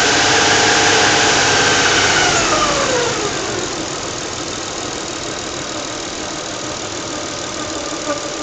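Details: 1996 Nissan Stagea 25X with RB25DE engine: steady high-pitched whine pulsing evenly over the engine note at idle; rhythmic idle whine, source still being diagnosed.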